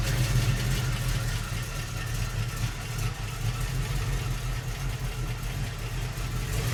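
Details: 1971 Mercury Comet GT V8, cold start with contaminated oil full of metal debris: uneven, lumpy idle with no clean rhythm; unhealthy bottom end, likely bearing damage, engine to be replaced by a 347 crate engine.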